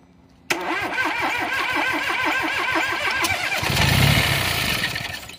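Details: Ford 1.0 EcoBoost after timing belt replacement done without the timing tool: about three seconds of steady starter cranking, then the engine catches and runs briefly with a rougher roar; it starts after the belt job.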